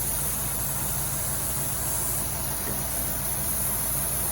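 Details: 1990 Cadillac Allante at steady idle after new intake gasket; cleaner sprayed around intake brings no RPM change, only a faint hiss, so the vacuum leak isn't at this spot. Leak location suspected, not confirmed.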